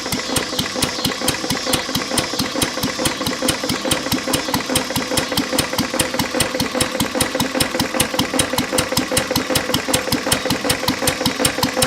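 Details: English Lister throttle-fed stationary engine, believed made 1920s–1930s, idling very low: heavy even thump about 2.5 per second from a worn connecting-rod bearing knock; block also cracked, water in oil.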